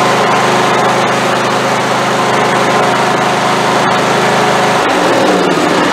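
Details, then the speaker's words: Craftsman YT4000 hydrostatic riding mower, valves not yet adjusted: loud uneven note that surges and falters, then drops off near the end; rough running, fuel delivery suspected, owner expects carburetor problem. "Well, that doesn't sound nearly as healthy as it did the first time, does it? Let's try that again."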